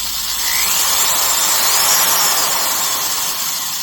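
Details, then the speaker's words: Classic DeWalt USA DW890 18-gauge sheet metal shear after servicing: short, even, high-pitched motor whirr with no chirp or rattle; rear bearing sounds in good condition. "Nice sounding tool. Actually sounds like the rear bearing's in good condition."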